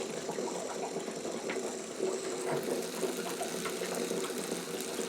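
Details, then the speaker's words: Electric water heater being drained while its element is loosened with a 1.5-inch socket: splashing water with glugs and bubbling as the tank sucks in air; normal gurgling while draining. "I hear it sucking air. Maybe that'll get it to drain."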